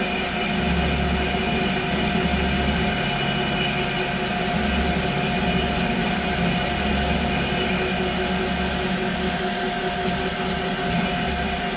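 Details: Creworks 8x16 lathe after carriage adjustment to remove carriage play. It runs steady with an even motor hum and a smooth, quiet cut, with no chatter or knocking. The carriage sounds tight, more rigid than before, and is healthy.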